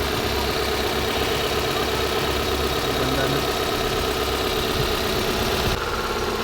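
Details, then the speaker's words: Toyota Corolla 2E petrol engine at idle after repair for smoking and oil consumption; smooth, steady idle with a light, loose rattle on top, traced to the timing belt cover; the engine itself is sound. "cover lang may ingay. Saan ba yung cover? Ayun, o. Nakawala yung ingay. Yung cover sa timing belt."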